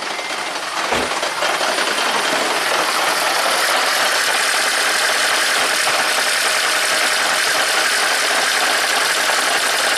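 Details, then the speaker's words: 2010 Toyota Prius after owner's DIY head gasket replacement, severe jackhammer-like misfire (ECM shows P0304): lumpy idle with irregular stumbling beat; owner's spare spark plug fixed one cylinder, 1 and 4 fine, number 3 still dead. "So 1 and 4 are fine. We're dealing with number 3 is still broken."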